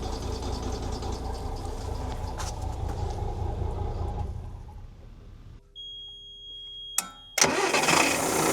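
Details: Volvo Penta TAMD 71B marine diesel, unrun 10 years in a partially sunk abandoned boat, first run in reverse gear: steady, even beat with no deep rumble or knock, then dies away; sounds healthy, bearings still to be checked.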